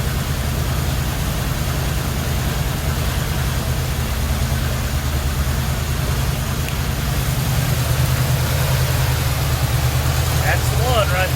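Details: 1977 Chevrolet C10 350 four-barrel 165 HP; deep V8 idle with a lumpy, uneven beat, one cylinder weak from a valve not opening, bad cam lobe or lifter suspected; rough running.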